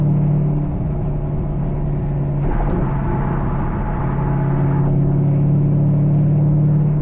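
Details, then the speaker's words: C5 Corvette driving after new wheel bearings, spark plugs and wires were installed. In the cabin there is an even, low road rumble with mild wind and no speed-related growl or hum. A rear driver's-side squeak remains, which the owner hopes new shocks will fix. "I just can't get over how quiet this ride is. I say quiet, but I should say quiet. It's still a little loud in here, but like, listen."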